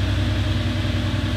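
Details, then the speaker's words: 1989 Porsche 911 Carrera 964, 31 years old: steady, even low burble with no knocks or misses, smooth settled idle right after a cold start; normal. "All right, we're gonna do a little cold start here. Starts every time."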